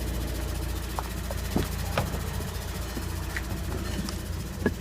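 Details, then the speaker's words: 2013 VW Passat TDI manual, 45,000 miles, idling in neutral foot off clutch: irregular light clicking where engine meets transmission, two to three a second, stopping when clutch pressed; clutch engagement high, feel normal. "okay so the car just started uh neutral foot off the clutch ticking noise appears to be coming from the driver's side area definitely louder in the area of the transmission"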